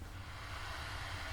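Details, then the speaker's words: Cooling fan of a 12 V power supply for DIY LED lighting panels, first power-up: constant loud airy whoosh of a small fast fan, no rattles or ticking; works normally though owner finds it too loud. "so it switches on because the fan is going crazy and it's on. Okay, so we have 12 volts coming through this. Man, this is loud. That is a loud fan."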